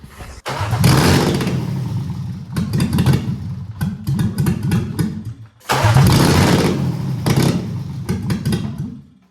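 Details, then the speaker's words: BMW E36 Touring with an M52 swap, fuel pump pin 7 wired to relay pin 87 instead of 85: the engine twice catches and revs a few seconds, then sags and dies. Stalling after start; owner suspects a sensor or intake leak. "It still has the same problem than with the Volvo. I mean, it runs, but it doesn't run for a very long time. I mean, it could be a faulty sensor, just an intake leak, I don't know."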